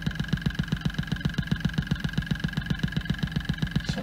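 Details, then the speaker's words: Ford Fiesta direct-injection injector after repair for an overfuelling fault, heard via stethoscope accelerometer: crisp evenly spaced ticking about four per second over steady idle; far crisper than before, healthy. "it's far more crisp than before."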